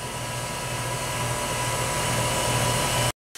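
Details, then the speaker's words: Bryant heat pump outdoor unit after relay board repair, heating mode on low stage: steady even fan rush with low compressor hum, no knocks or rattles; fixed, running normally. "man is spinning compressor is running everything is happy we're on low stage right now that's a single flash that's it this thing is a hundred percent fixed"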